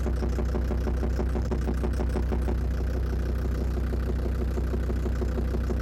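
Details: Land Rover Defender TD5 diesel after radiator work, microphone near the snorkel where the noise is loudest: steady idle with even light tick about three times a second, not fading with warm-up, possibly gone after revving; suspected faulty hydraulic lifters; ticking knock.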